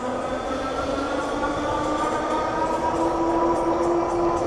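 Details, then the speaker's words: Andsky Apex 50 dual-motor 48V fat-tire e-bike riding at speed in dual-motor mode: steady thin squeal over tyre roar from the 180 mm hydraulic front disc brake, which needs bedding in; cause suspected, not confirmed. "That's nothing to be concerned about. I know you hear that noise. That's essentially the front brake just needs to be bed in."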